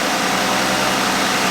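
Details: Jeep running during pre-trip inspection, battery 12.7 V off and 14.2 V running: steady, even idle with a smooth hiss and no knocks, misses or whine; engine and charging healthy.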